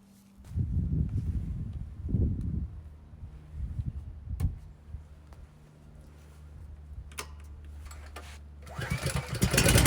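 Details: Honda GX390 single-cylinder engine on a 7000 W Powermate generator, new plug, insulator gaskets and governor linkage checked: starts after a couple of pulls, then idle surges and hunts; owner suspects vacuum leak at servo line or carburetor.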